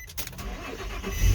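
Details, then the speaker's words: Nissan Xterra with a new high-capacity battery and 250 A high-output alternator, cold start in winter after sitting about a week covered in snow: brief crank, fires right up and revs swell into a steady run; normal cold start. "it starts right up no problem nice"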